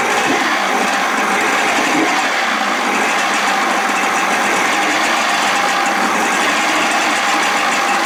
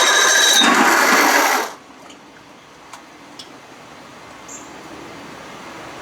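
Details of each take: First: 55 hp Evinrude outboard, first runs after new starter fitted: constant high buzzing run with an even beat and no drop-outs or misses, firing cleanly; normal running. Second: 55 hp Evinrude outboard in a water tank, choked, with no controls hooked up, cranked on a new-old-stock starter: a harsh, rough whirr for under two seconds and the engine doesn't catch. The new starter still makes a weird noise.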